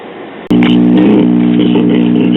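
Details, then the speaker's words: Silvertone tube radio on a battery eliminator whose filament voltage is slightly high: a steady, low mains-type hum with overtones, which stops when the 1U5 first audio tube is unplugged and persists with a substitute tube; cause unconfirmed. "Well, I found that I can unplug the 1U5, which is the first audio tube, and the hum goes away. So I tried another tube out of another radio, and as you can hear, the result is the same."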